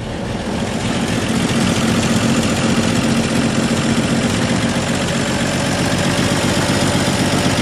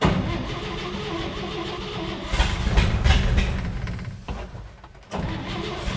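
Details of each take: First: 1958 Chevy Apache pickup, newly installed used V8, first start with fuel poured into the carburetor: loud, lumpy, uneven idle; owner suspects too much fuel was added. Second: 1958 Chevy Apache, replacement used motor started on a carburetor primed with too much fuel: brief cranking, then it catches and runs rough, dips nearly to stalling and picks back up.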